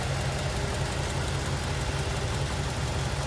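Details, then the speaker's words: 1947 Ford Super Deluxe Business Coupe, 239 cubic inch flathead V8, 3-speed manual, heard from the rear; soft, low, even idle with a steady gentle rumble and no ticks or knocks, smooth and quiet. "Pretty smooth and quiet. There you go. That authentic old school flatty sound."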